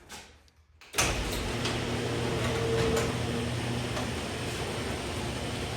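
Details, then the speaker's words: Garage door opener running after replacing 20-year-old original rollers with sealed-bearing rollers: steady hum and rumble of the shaft drive with no roller squeak, normal operation after repair. "There we go. And you can hear the shaft drive, but I don't hear the squeakiness of the wheels."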